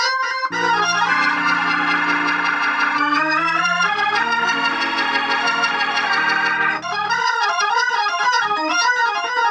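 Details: Organ chords come through full and clean with steady sustain, no crackle or breakup, on the amplifier after replacing cheap 0.047 µF 1600 V and 0.1 µF 600 V capacitors with Cornell Dubilier caps; amplifier healthy.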